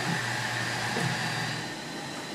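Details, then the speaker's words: CubeX Duo 3D printer conversion, while printing: constant high buzz over the running noise, very pronounced on X-direction moves; noisy, vibrating X-axis stepper motor. "So while it's printing, hear that buzz? Hear that? So when it's moving in the X direction, it's very pronounced."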